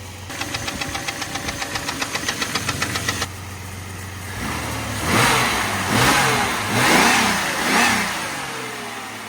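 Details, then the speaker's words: Jeep engine before its overhaul, with flat tappets: rapid, even knocking at about six or seven a second over the idle, blurring as revs rise; a bottom-end knock, gone after the rebuild. "That knock is gone. I'll put a little video of what it sounded like before."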